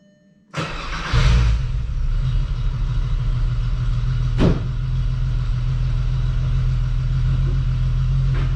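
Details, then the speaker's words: 12v VR6 Jetta wagon after engine refresh, pulling out to drive home: short crank, uneven lumpy idle with a thump, stalls and restarts; fuel smell noticed, cause unclear. Engine stalling. "oh so nice okay i've stalled it i need someone is that me or that oh no martin did we jinx it"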